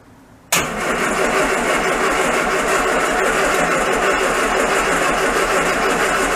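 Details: Classic Mini van engine, first start-up after restoration, distributor drive reset and choke applied: steady starter churn about three turns a second with no catch; cranks but won't fire, intermittent faulty ignition coil giving no spark, fixed by refitting old coil.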